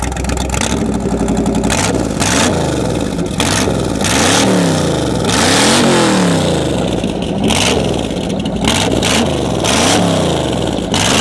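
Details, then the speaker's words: Corvette V8 revving hard, warm, with exhaust pulled apart at joint of a long-standing leak: raw, very loud crackling roar from the separated exhaust pipe joint. "the exhaust came undone where I always had an exhaust leak but it came undone and it got just crazy loud"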